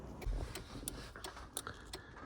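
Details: MK2 Golf GTI 16v in a quiet cabin: light, even flasher relay clicks about two per second. The indicators are working again after a loose plug was pushed back in; relay clicking is normal.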